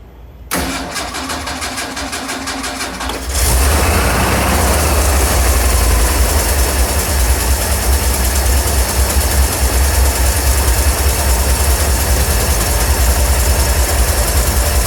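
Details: 1981 Ford 300 engine, before a misfire sets in: the starter cranks briefly, the engine catches, then settles into an even, steady idle with no skips or knocks; runs smooth.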